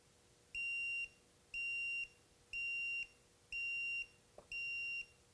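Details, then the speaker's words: Dovoh H3-360G self-leveling laser level tipped beyond its ±4° range: steady high beeps about once a second, evenly spaced half-second tones, the out-of-level warning. "If this goes out of level more than 4 degrees, plus or minus 4 degrees, it's going to warn you."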